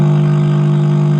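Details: 2.1 home theater with 2030 amplifier IC: loud steady buzzing tone with gritty overtones cutting off abruptly; distorted output from failed amplifier IC.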